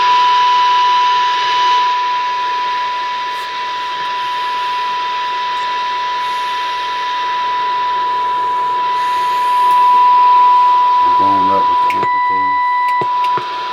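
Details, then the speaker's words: Hammarlund HQ-140-X receiver, warmed up, 40 m band: test tone at −77 dBm barely above constant heavy hiss, inaudible with AVC on; poor sensitivity, suspected IF stage, crystal selectivity or AVC problems, unconfirmed. "That's minus 77 dBm. Very noisy, and with the ABC on, you'll never hear it."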